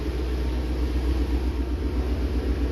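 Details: 2019 Ford Mustang Shelby GT350, 3800 miles, freshly fitted Gen5 Whipple 3.0 supercharger, catless long-tube headers and twin-disc clutch, near operating temperature in neutral: deep, steady, even idle with no knocks or ticks; healthy warm idle.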